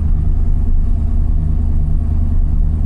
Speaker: what a machine so yeah cars running uh yeah it wasn't a bad cold start considering the e85